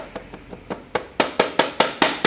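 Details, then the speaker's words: Bianchi EP-8 T-Tronik e-bike at first service: quick hollow plastic clacks, about five a second and growing louder, when the battery cover underneath is tapped; the bottom fixing nut is missing, so the loose battery cover rattles. "there's one at the top you can see it at the top there but the one at the bottom is missing and that's why it's rattling"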